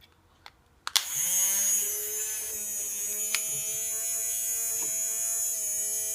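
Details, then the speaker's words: Tamiya Mini 4WD motor being powered for break-in, to run about one minute before break-in oil: after a click it spins up to a steady high whine at an even pitch. Normal running. "so you can hear it's starting to break in okay and you want to keep running for about 1 minutes"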